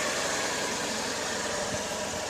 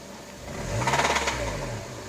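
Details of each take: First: Honda Accord 7th generation 2.4 L 190 hp at idle, no oil burning; steady smooth idle without knock, though it knocks when throttle is pressed. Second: Honda Accord 7th generation, 2.4 L 190 hp: idles perfectly, no oil burning; throttle blip brings quick rattling knock over rising revs, fading back at idle; engine knocks under throttle.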